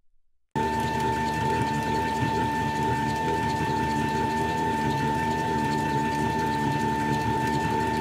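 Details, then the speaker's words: Prototype 40:1 two-stage compound timing-belt reduction gearbox driven by a stepper motor, input carrier about 134 RPM. A steady stepper whine carries a faint regular rubbing scrape from slight misalignment (output shaft wobbles). Should go once parts are aligned; belt also slips. "There's also a rubbing noise, which was never present during any of my off- camerara tests. This noise can be eliminated once all parts are properly aligned."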